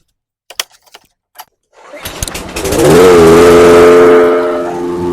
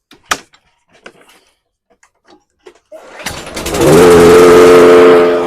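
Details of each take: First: Briggs & Stratton engine on a 22-inch Toro Recycler mower after swapping an aftermarket carburetor for the original OEM carb, head previously redone; pull-start, catches and climbs to steady even speed without hunting or surging; normal running. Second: Toro 22" Recycler with Briggs & Stratton 190cc engine on new aftermarket carburetor, after pull start: speed rises and falls about once a second; surging, likely too-small jet running it lean.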